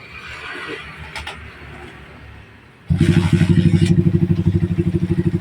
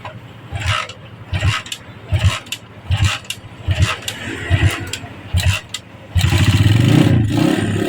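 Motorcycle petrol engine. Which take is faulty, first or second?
second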